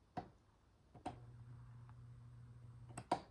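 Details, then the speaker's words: 1983 Crown 12-inch oscillating fan, initial test: switch click, steady low mains hum about two seconds, no spin-up; bearings are free, owner suspects the capacitor isn't reaching the motor circuit, possibly an open circuit. Motor hums but does not start. "there's off again I'll turn it back on just sits there and hums and it's not the bearing problem because if I pick up the fan you can see the bearings are free"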